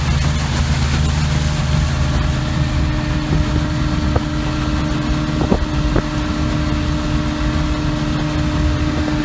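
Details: 33 HP Evinrude Ski Twin electric-start outboard before carburetor adjustment: full throttle gives a dull, low, uneven drone with wind noise and no crisp rev; misadjusted high-speed needle, later set 3/4 turn out from snug.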